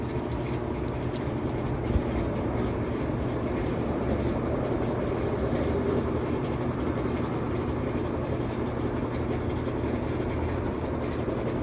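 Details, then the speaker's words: Whirlpool (Amana-badged) washer on drain-and-spin test after repair of a not-spinning, grinding fault; steady, even whirring rumble, spinning smooth with no grinding, knocking or scraping. "All right, she's spinning nice and smooth."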